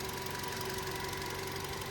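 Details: Car with bonnet open, a dusty engine bay and no oil leaks; steady, even tick-over with no knocks or misses. Idles smoothly and sounds healthy.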